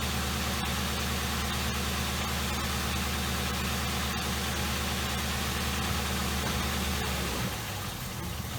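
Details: 2007 Ford Crown Victoria after a spark plug misfire fix: steady, even low idle rumble with no stumble or skipped beats; engine runs smooth.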